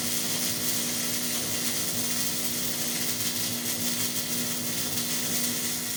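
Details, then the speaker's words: Hobart Ironman 240 MIG welder with the ground clamped directly on the workpiece: steady, even frying crackle for several seconds without popping or stuttering; stable arc, wire feeding properly; normal welding after fixing the ground. "I'll put the ground straight on there. So, ground straight on there. To to me anyways, that sounds better. And again, now the wire starts feeding just fine."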